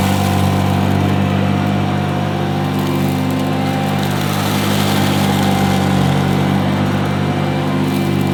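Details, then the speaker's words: 1977 Hoover Junior Deluxe upright vacuum: steady, even motor hum with a constant low drone, no rattles or speed dips; owner calls it the quietest Junior Deluxe/Starlight he's used; normal running. "the motor that sounds absolutely fantastic it's the quietest Junior Deluxe slash Starlight that I've ever used"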